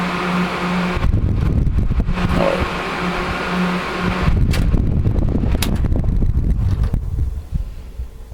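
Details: 1980s Sanyo Turbine rotator box fan, cleaned and oiled, switch repaired, on high speed: steady low drone with constant pitch, some handling clatter, no scrape or squeal; runs smoothly.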